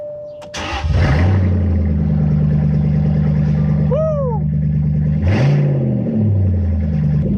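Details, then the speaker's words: 2001 Jaguar XJR X308 with exhaust removed from mufflers back during driveshaft center bearing repair: catches and settles into a loud raw booming idle, then a quick blip; running straight-piped. "But since we got exhaust cut mufflers back, we got to hear what this sounds like straight piped."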